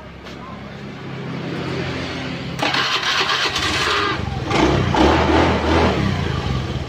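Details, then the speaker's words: Honda Beat FI scooter that died mid-ride with sudden loss of ignition from a shorted regulator/rectifier (kiprok) and a dead ECU, now starting: starter whirr catches into a steady, even putter and smooth idle; starts and idles normally. "Ya, ini udah hidup ya. Yaitu tadi ECU-nya mati sama kiproknya konslet ya. Ini hidup bagus."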